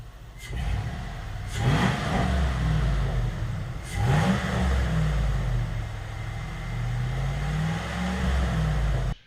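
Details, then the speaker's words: GM 5.3L LS-swapped Sub-100, several clean, smooth rev blips with no stumble or popping, all cylinders firing evenly; the dead-cylinder misfire went away after wiggling harness connectors and has not returned after a month of driving. "with the miss taken care of it has not come back it still runs just as it should"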